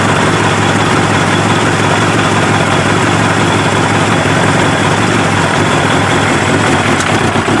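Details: Kawasaki ZX7R race bike, FCR41 flatslide carbs synced, fuel screws leaned from 2 to 1 turn out, warmed up: steady four-cylinder burble, idle hunting slightly between about 1250 and 1500 RPM; acceptable.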